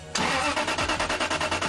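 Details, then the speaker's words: Aston Martin V8 Vantage crank: sluggish laboured whirring at about seven pulses a second from a worn old starter motor heat-damaged, needing about 15 compressions to start; fuel system not the cause, new starter cranks faster. "So the old starter motor is struggling to start turnover because the starter motor is worn, because it's been subjected to heat hotter than the sun."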